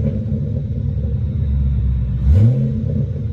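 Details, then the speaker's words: After a new BBK intake manifold cured vacuum leaks, first start-up: steady low idle, then a clean rev climbing and falling smoothly, not louder but buttery, no stumbling or hiss. Normal idle and revving. "it's not louder it's just really smooth it's almost it's buttery very good"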